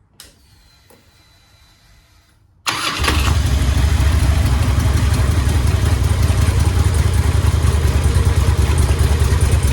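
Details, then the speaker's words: 2002 Harley-Davidson Road King V-twin after compensator replacement (weak spring pack had caused rattle), started in neutral after a 3–4 mile ride: cranks, fires and settles into steady deep loping idle, rattle gone; "don't sound bad". "don't sound bad"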